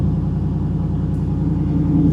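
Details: 2019 Ford F-150 5.0 L V8 with reported cylinder 4 misfire: steady even low rumble with no audible stumble or skip across the clip; idle sounds smooth.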